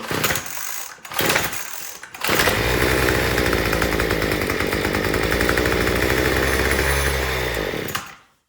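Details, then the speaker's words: Troy-Bilt TB225 two-stroke tiller that sat all winter, after a new fuel line: it sputters on choke, runs steady about six seconds, then dies running out of gas. The cause was a rotten fuel line and old carburetor gaskets and diaphragm. "All right, now it's running out of gas. All right, so I think it's one of two things."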